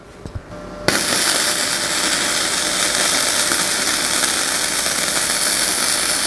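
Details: Ramco 120 A MIG welder, flux-core without CO2, at 70–80 amps: a few clicks then steady even crackling hiss like frying bacon; stable well-tuned arc with neat bead.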